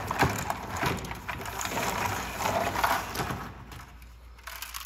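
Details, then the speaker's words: Hoshizaki ice machine: broken plastic ice-diverter tines that fell into the pump and evaporator rattle as light irregular clicks inside the water distribution tube; can make the pump malfunction. "get inside the distribution tube in here you can hear those rattling around in there those are pieces of plastic from this ice inverter that have that have gotten down in the pump because ice has fallen down and broken this diverter"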